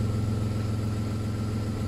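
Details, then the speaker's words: VW Polo alternator, previously not charging, repaired rather than replaced; after the repair the engine holds a steady, even low idle with a smooth regular beat and no knocks, whine or rattles, running normally. "Läuft einwandfrei."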